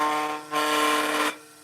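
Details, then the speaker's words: VEVOR cordless rotary fabric cutter RCS-100B after first use on carpet, then blade removed, cleaned, oiled, sharpened: steady high motor whine turns into loud harsh rasping burst while cutting; owner suspects flap beside blade, still cuts. "I don't know that sound sounds funny there's like a loud noise it didn't do that"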